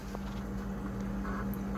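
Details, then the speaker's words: Frigidaire refrigerator that is icing over: a loud, steady low compressor hum at constant pitch with a faint hiss and no cycling; owner suspects a head-pressure noise from a low refrigerant charge, not confirmed. "it's definitely like refrigerant head pressure thing head pressure sound so the whole icing over thing and that sound really point to a low charged situation there"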